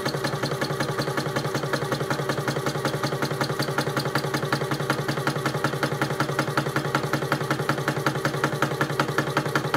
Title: Shoebox knocking noise video